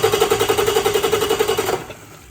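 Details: Freshly rebuilt Cummins QSM11 diesel on test stand, after adding a ground wire from starter to the 24V fuel shutoff solenoid frame: even rapid cranking about eleven pulses a second, under two seconds, not yet firing. Normal cranking.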